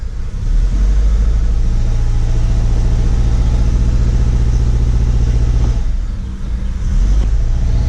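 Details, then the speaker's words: 2008 Acura TSX 2.4 idling with a low, lumpy, uneven pulse and stumble; cylinder 2 coil swapped to cylinder 1 moved the misfire, flashing check engine light confirms a cylinder misfire from a bad ignition coil. "all right now the light's flashing then you know it's picked up another code and when it flashes you know it's gonna be a misfire and cylinder one"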